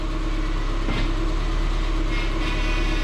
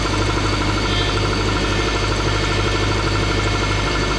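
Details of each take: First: 2006 Subaru Forester idling after power steering pump O-ring repair, with air still in the fluid: steady low hum at full steering lock, ordinary pump load, otherwise quiet and smooth lock to lock; normal power steering noise. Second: 2006 Subaru Forester idling: constant moaning whine from the power steering pump, louder depending on temperature and sitting time, steering stiff when cold, fluid kept topped up; later fixed with new O-ring 34439AE021.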